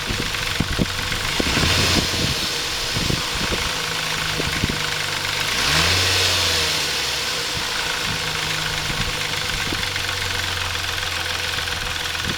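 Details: Intrepid 2.7 after water pump replacement: sharp irregular ticking and rattle at idle persisting through a rev, caused by timing chain tensioner not released correctly during installation; fixed afterward.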